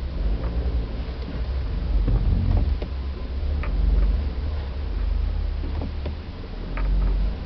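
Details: Ticking noise from around the shifter: light, uneven ticks, a few per second, over a low engine rumble; source not identified.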